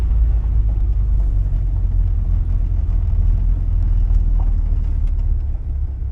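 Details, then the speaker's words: 1979 Porsche 924 road test after fuel system cleaning, a new filter and an alignment: deep, even engine rumble under road noise, pulling smoothly with no knocks or rattles. Oil pressure and charging good, temperature at the halfway mark when hot. Sounds healthy. "it had lots of power making noise but not bad noise I think we're okay"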